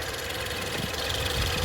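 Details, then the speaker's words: 2014 Ford Fusion Platinum EcoBoost FWD, 72,000 miles, idling in pre-purchase inspection: even idle with light quick ticking from high-pressure fuel pump pulses and direct injectors firing; healthy, normal. "Those are going to be the high-pressure fuel pump pulses for you direct injection. Now you can hear it. You want to make sure you hear those little ticks. All those little tick taps, those are your injectors firing."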